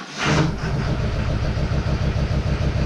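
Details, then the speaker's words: GMC Duramax diesel, first start after reassembly inside a warm shop, no coolant in radiator, alternator disconnected, check engine light on: catches then uneven, stumbling, lumpy idle; rough running, owner suspects a cam pin issue, unconfirmed. "holy Smokies we have a running diesel a running diesel a running diesel it sounds weird though I'm not going to lie"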